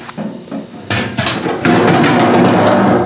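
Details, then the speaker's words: Old fuel tank from a Fox Body Mustang turbo build, shaken by hand: irregular hollow clunks and knocks from a loose part banging inside; internal baffle broke loose, so the tank was replaced. "I know it's hard for you guys to see down in there, but the baffle has actually broke loose in the tank, man."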